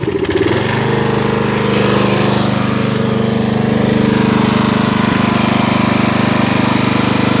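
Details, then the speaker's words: Craftsman LT1000 lawn tractor, 18hp Briggs & Stratton, freshly tuned up (oil, air filter, plug, fresh gas); fires quickly and settles into steady even thrum, no misses or knocks: normal running engine. "reverse lay it's off lights are on purrs like a kitten you can bring it down a little bit lower and bring it"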